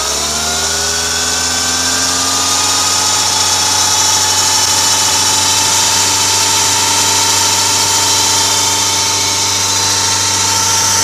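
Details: Audi A6 C6 2.0 TDI (BRF) idling: steady high whirring rasp from belt drive; worn deflection/guide pulley bearing (part 03G145276A), found after alternator bearings, alternator pulley, belt and tensioner were replaced.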